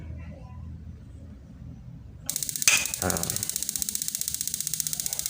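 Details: NIKO LPG bathroom water heater after repair with new igniter and thermostat, switched on and magnet touched to flow sensor: sharp crackling snaps two to three per second, crisp and regular, stopping after about three seconds; igniter sparking properly.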